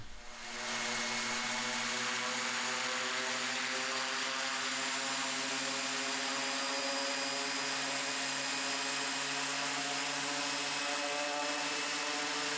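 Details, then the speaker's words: Raptor prototype aircraft engine run-up outdoors after reassembling and oil-priming the reduction drive, checking leaks and governor: steady even high-pitched drone, clean tone, no knocks or roughness; healthy run-up. "So this is a run up here going on."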